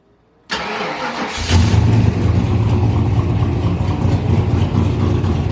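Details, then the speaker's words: Turbo 331 cubic inch small block Ford V8 with AFR aluminum heads, on a stainless straight-pipe exhaust, recorded in a garage. Quick catch and one blip, then a deep, even, loud rumble. Normal start and idle. "sounds pretty good got some rumble to it"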